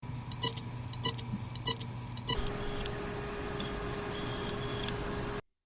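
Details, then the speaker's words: Failing hard drive: sharp, evenly spaced ticks about every 0.6 seconds over a faint hum, then a steady tone. The heads are failing to read and hitting the parking ramp (click of death) while the platter spins above 5400 rpm. "नमस्कार जर तुमच्या हार्डस्क मधून tick tick बीप असा sound येत असेल तर ती आत्ताच्या आता बंद करा लॅपटॉप रिस्टार्ट करू नका"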